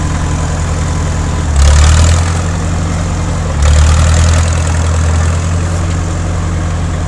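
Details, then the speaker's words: 1950s Caterpillar D4 crawler bulldozer, sat at least 20 years, started via pony motor with a severed fuel line temporarily fixed: deep, even diesel rumble with two short swells as the throttle opens; steady firing, diesel running well. "The diesel motor, she's a kitten, of course, right? It's a Caterpillar. It runs really good."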